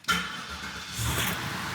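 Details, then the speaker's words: Cadillac with night vision, started after sitting for years with coolant just added; brief crank, fires right up at once and settles into a steady, even run, sounding healthy. "oh fired right up perfect oh man that is quick"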